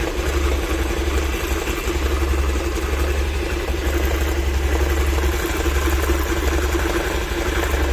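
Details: Honda Activa scooter engine at idle: steady low idle with an uneven rattly undertone that doesn't settle; abnormal clutch noise, cause unknown to the owner.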